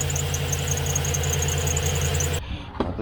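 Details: 2015 Chevrolet Silverado 2500HD 6.0L at idle: shrill chirping squeal pulsing rapidly then cutting out; serpentine belt still slipping after power steering pump pulley alignment with laser tool, before fitting new Gates belt.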